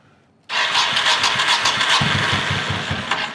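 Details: 1985 Honda VT1100 Shadow with sidecar, neglected and reportedly hurricane-flooded, cranked with enricher on: steady starter churn, even compression pulses about three to four a second, never fires; cranks but won't start, carbs to be pulled. Cause suspected, not confirmed.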